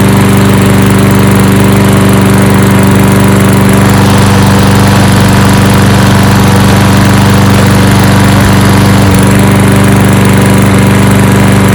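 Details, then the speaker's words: 2013 Toro Recycler 20370 mower with newly installed replacement carburetor, cold start. Small single-cylinder running smooth and steady with even firing, no misses; normal running. "okay anyway so there we go so the 2370 now has a new carburetor installed so what I'll do now is I'll put some gas in it and start it up do a little teaser cold start"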